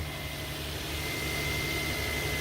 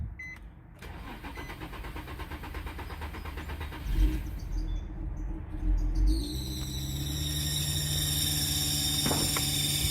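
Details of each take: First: 2003–2008 Infiniti FX35 3.5L started cold after the squeaky-belt fix: a steady, even idle with a low hum and no longer the startup belt squeal it used to make when cold. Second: 2003–2008 Infiniti FX35 3.5L cold start: engine cranks and catches, then a loud, piercing steady belt squeal over idle for the first seconds before smoothing out; gone once warm; cold-start belt squeal.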